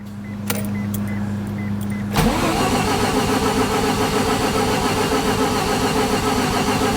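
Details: 1988 Mazda RX7 after a new gas tank, aftermarket fuel pump and fuel filter: a chime, then steady even starter cranking for several seconds that never catches. The pump can't be heard running. Crank, no start.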